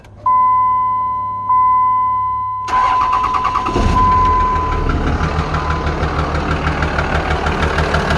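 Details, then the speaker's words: Dodge Ram 2500 5.9 Cummins, cover off, number one injector disconnected; beeps, cranks, idles with loose irregular knock over clatter, only slightly quieter; owner suspects another injector failed from heat, unconfirmed; diesel engine knock. "it's quieter but not by much so I think I may have another injector gone bad as well from the heat"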